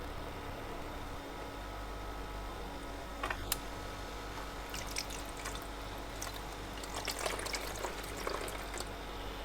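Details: Portable ice machine after replacing the faulty limit switch: low steady hum, water trickling and pumping, then clatter as first ice drops; working normally.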